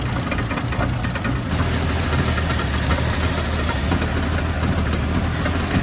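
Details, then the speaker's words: 1970 Ford Maverick with a rebuilt carburetor now having a working accelerator pump, vacuum advance and fuel line reconnected: lumpy, uneven idle with dull thumps, still misfiring some. "Maybe idle a little bit richer. Now we have an accelerator pump. So we should be able to press the gas and not die. Still misfiring some."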